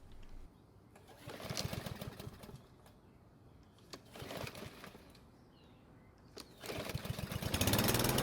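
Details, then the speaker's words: Troy-Bilt walk-behind mower, hot restart on the recoil: short pull bursts with gaps before it catches and runs, taking a few more pulls; hard starting when hot. "so this time it took a few more pulls to start which isn't terrible but I prefer to be a lot better than that"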